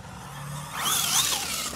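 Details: Losi LMT RC monster truck with Treal axles, after moving the diff shim to adjust ring gear mesh: a thin high whine rises and falls with wheel speed while driving, better but not gone, probably the rear axle.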